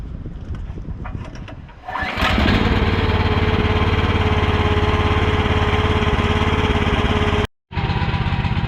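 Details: Broken used mini excavator's small engine after repair with pull start: a few pull-cord tugs, then it catches and settles into a steady, even chug with no misses; runs fine.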